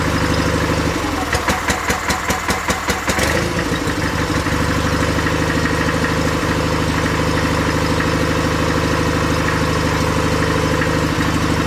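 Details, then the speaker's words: 49-year-old John Deere 318 garden tractor being repaired, battery charger just disconnected: engine stumbles raggedly about two seconds then settles to steady idle; stuttering suspected from very low battery, unconfirmed. "I think the battery is so low that it's kind of causing some issues. The battery charger is off, but soon when I went to go disconnect it completely, it started running stuttering."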